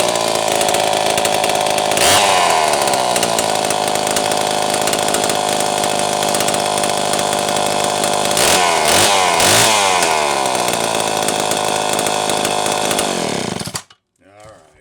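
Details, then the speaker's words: Homelite Super 1130G chainsaw after out-of-spec condenser swap and helicoil: screams at high revs, stumbles and sags twice, then dies abruptly, losing spark; fault traced to the spark plug wire. "Oh man. Oh, that was losing spark. What? What's going on here?"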